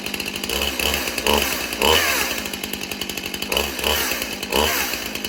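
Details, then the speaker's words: Stihl chainsaw with mismatched sprocket blipped in short revs about every second, each bringing harsh metallic chatter; chain riding on wrong-pitch sprocket, so not held wide open. "You You hear You hear that loud noise? Do you hear that? That is the wrong sprocket that chain is setting on."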